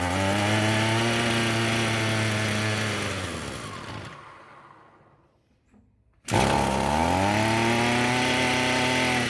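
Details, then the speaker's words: Echo SRM-210 two-stroke string trimmer after carb flush and fuel system service, choke on: buzzes steadily then sags and dies within two seconds, runs only with throttle held; idle screw bent and set too low. "So that's a good start. It won't run on idle. Looks like if I manually hold that idle up a little bit, it'll stay running."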